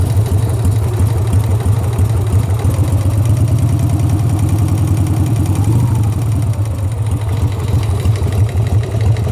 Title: Sportster engine knock